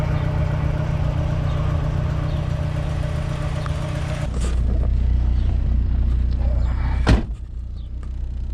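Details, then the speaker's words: 1987 Chrysler LeBaron Town & Country Turbo, first run in several years after fuel hose replacement, at operating temperature with mid-scale oil pressure: warm engine settles into smooth, steady low idle with no ticking or knocking. "numbers look good here looks like we're about an operating temperature now"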